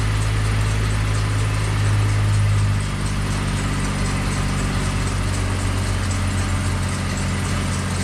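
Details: Ice cream truck engine started after sitting outside through a Michigan winter, chilly day; steady low idle with an even, unhurried beat and no knocks or squeals, running smoothly.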